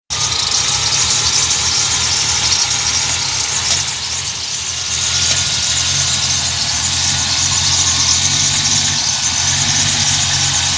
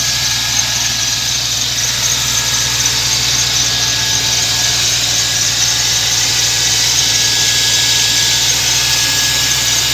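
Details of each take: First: My M60 3.0 V8 idles rough for 20-30sec when started cold with no throttle, runs at 400-500rpm - and maybe you can even hear 3-4 knocks, or clanks, coming from the engine. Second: BMW M60B30 3.0 V8 cold start: after idling rough at 400-500 rpm for 20-30 seconds with a few knocks, the idle picks up and runs steadily and evenly with no knocking or ticking, under a thin high whine.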